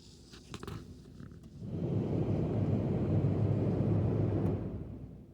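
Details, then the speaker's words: 2007 Ford Expedition rear blower motor after rewiring its switched 12 V feed through a fuse tap: clicks, then blower spins up to a steady even airy rumble that holds then eases; works properly, voltage about 13.8–13.9. "So you should be able to hear that rear blower motor kicking in."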